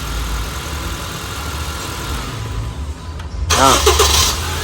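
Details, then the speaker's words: Honda Civic FD with a K20 engine after a repair for fuel rail pressure loss. It runs evenly, is shut off, then catches after a short crank and settles to a smooth idle; normal easy restart. "ตอนนี้ติดแล้วติดเลยติดติดแล้วดับสตาร์ทเครื่องใหม่ก็ติดง่ายค่ะ"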